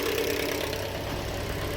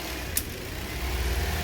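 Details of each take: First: 2013 Toyota Corolla 1.8 16-valve flex-fuel with CNG, automatic, at idle with A/C on, complaint of noise on acceleration: loud steady harsh grinding vibration from the accessory belt area. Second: 2013 Toyota Corolla 1.8 16-valve flex-fuel with CNG after the seized alternator overrunning pulley was replaced, idling with the alternator refitted: steady low hum, no squeal, chirp or rattle from the belt side; zero noise, normal idle.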